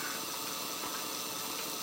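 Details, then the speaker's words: Kit-built OO gauge SDJR 7F 2-8-0 model locomotive at about 60% on the bench controller, after oiling the motor bearings. Smooth, even high-pitched whirr with light hiss, much quieter, a little slow. Normal running. "I've oiled the motor bearings now which just seem to quietened it a fair bit you know maybe that's acceptable running"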